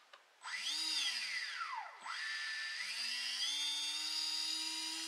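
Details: Brushless RC boat motor on Eachine SS Series 125A ESC, right after programming with a pistol grip radio: high electric whine sweeps up and down, then settles into a steady rising tone as it spins up; ESC working normally.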